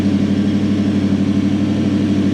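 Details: Toyota Celsior/Lexus LS400 1UZ V8 after airflow meter wiring fixed, idle speed control had been blocked off and throttle stop wound up: steady fairly high idle hum that never drops down; idle speed control valve not working.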